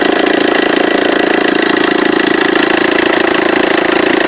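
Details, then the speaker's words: Vauxhall Corsa D 1.3 CDTI diesel at idle: loud, fast, even rattle about four a second from the left-hand auxiliary belt side, with the belt and tensioner vibrating excessively; seized alternator overrunning pulley. "so actually just heard quite a rattle sound coming from the side of this engine and it's actually from the belt itself from the auxiliary belt"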